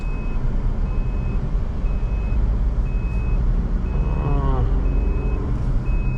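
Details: Maruti WagonR CNG taxi idling: steady high beep about once a second keeps repeating. The GPS tracker's panic/SOS alarm was triggered without the button being touched and is stuck on.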